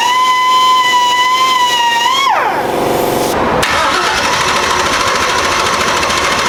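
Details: Turbo LS Foxbody V8 right after fitting a Motion Raceworks belt-drive fuel pump: a steady whine drops into rough cranking and hiss with no firing. There was no fuel pressure because the pump lines were reversed.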